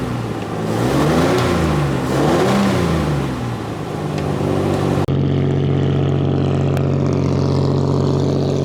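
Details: Restored 1935 Stancraft race boat inboard, the oldest known surviving Stancraft, with race intake manifolds that hold a high idle of about 2,000 rpm; throaty six revs, then settles to a fast, even idle with smooth firing and no knocks. Normal high idle.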